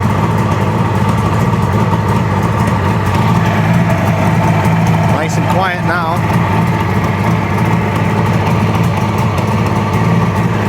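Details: Suzuki GT750 two-stroke after starter clutch repair, idling with new carb tune: steady, even idle with a low, smooth beat and no knocks or rattles; engine idling cleanly and quietly, normal idle.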